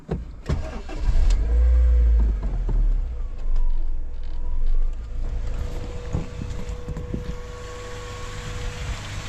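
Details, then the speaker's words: 2001 Honda CR-V EX, B20 engine, manual, all-wheel drive, aftermarket intake, first start after purchase: quick crank then quiet, even, smooth idle with no knocks, ticks or misses; sounds healthy. "Pretty quiet, pretty smooth."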